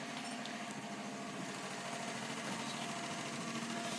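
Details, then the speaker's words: Facet Posi-Flo lift pump and Bosch 044 pump both running on surge tank, 1989 Nissan Bluebird carb-to-injection conversion, quite loud, fuel pressure felt in line: steady even electric whir with light fast buzz, no surging or rattle; normal running. "is quite loud and here it's working fine in suits yeah I can just about feel the feel pressure in that very very vaguely it's definitely there"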